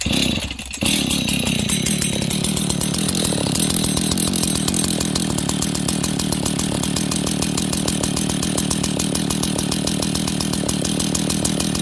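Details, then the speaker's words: Husqvarna 61 chainsaw idling very low with no chain fitted: a loose metallic rattle riding on the two-stroke beat. A worn centrifugal clutch is suspected, and the clutch would likely spin at idle with a chain on. "Can you hear that rattle? Now, friends, this thing's idling at like no RPM. I'm gonna put a chain on this to show you guys. This saw sounds like it needs a clutch, okay?"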